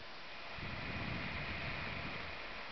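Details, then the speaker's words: Problematic PS3 console on for about 10 minutes, camera placed at the fan: loud airy rush with a faint steady whistle that swells and stays high. The owner says it dies around 20 minutes in and plans a thermal paste fix. Cooling fan at high speed. "okay you hear that it's only been on for about 10 minutes and that's how high it gets now it will die in about 20 minutes I know that much"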